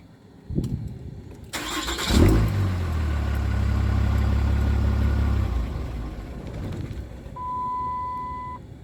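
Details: 6.7 Cummins diesel cranks and catches, idles low and uneven with a wavering note for a few seconds, then dies; rough interrupted idle ending in a stall.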